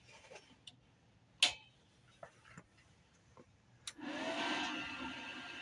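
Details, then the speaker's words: YesWelder TIG-205P TIG welder switched on with foot pedal mode selected: a few relay ticks, then a loud, steady rushing cooling fan with no rattles; normal fan noise. "I'll turn it on just kind of so you can see what it's like when you, what it sounds like. It's pretty loud with the fan."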